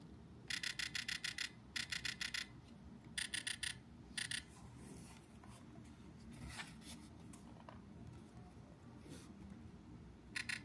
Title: Does your Xbox Ally X sound like this? A weird vibration noise. Update the MCU firmware. #fix #xbox